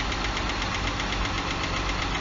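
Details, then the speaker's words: 2012 Jeep Grand Cherokee 3.6 Pentastar VVT V6 idling with a fast, light, even ticking: failed cam follower on the driver-side intake camshaft; all followers and lifters replaced. "3.6 liter VVT variable valve timing 10 star tick we're gonna be changing on it that's your noise is coming from over here nice little ticking"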